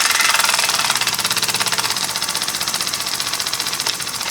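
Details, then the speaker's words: Homemade single-acting oscillating steam engine on compressed air: even regular puffs about three per second, steady and unhurried; running slowly and smoothly. "so a lot of my engines are just raw I really like to run them slow not"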